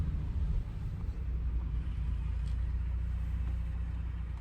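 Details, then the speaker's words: 2018 Ford EcoBoost pickup with lifted suspension, warm after oil change with Mobil 1 and Prolube treatment and 10–15 minutes running: deep even rumble, no rattle or tick; previous diesel-like rattle persisted after cam phaser replacement. "let's pull up in the back driveway so quiet I can't believe this the diesel sound is"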